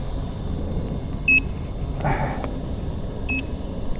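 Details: Nikola Plus 100V 1845Wh electric unicycle at end of full range test, battery essentially zero, heavy tilt-back: two short bright double beeps about two seconds apart over road rumble, warning the battery is nearly empty.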